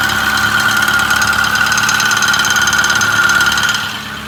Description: 6.4 Powerstroke rattle noise idle and 1200 rpm